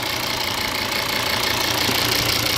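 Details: 2013 Volvo V60 D5 diesel idling after replacing the blocked vacuum pump valve (31430964): steady even idle with a smooth hiss, no popping or puffing; vacuum leak popping gone.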